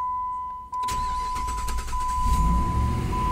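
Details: Jeep Grand Cherokee after a no-crank no-start diagnosis involving the key: short crank, then the engine catches at once and settles into a steady, even idle; normal start.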